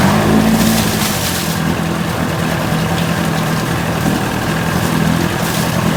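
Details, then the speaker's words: 1980 Chrysler 45 hp two-stroke outboard brought in for crank-no-start after coil packs replaced and points found faulty earlier; with new L82C plugs it fired, responsive throttle, steady even burble with no misses, knocks or stumbles. Likely the warm-up lever wasn't used. "this mean this is responsive [Applause] again there's nothing wrong with this i don't know over the season"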